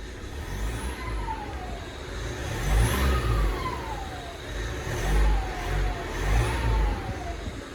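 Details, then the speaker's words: 2016 Mitsubishi MQ Triton Athlete diesel, revved in short blips: a rising and falling turbo whoosh over the diesel rumble from a popped boost pipe; boost leak. "Sounds like it's got mad turbo in it, doesn't it? What you're gonna find out and see is that there is a mother boot. Well, wait, let me show you. What you're gonna see is that there's a mother boost leak right over there."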